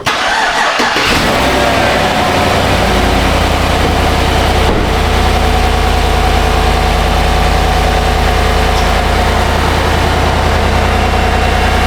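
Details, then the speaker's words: GMC 1500 5.3L V8 after the repair: starter catches and it settles into a smooth, steady idle with no knock or rattle; the loud knock is fixed. "That sounds a lot better."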